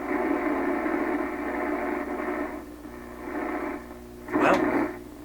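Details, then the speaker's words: 1928 RCA Victor Model 28V tube radio after grounding the 300-ohm cathode resistor: clear, steady audio at low volume with no hum, crackle or dropouts; playing properly, though hum later returned. "Well, I hardly had the volume up. Scotty, I think we nailed it."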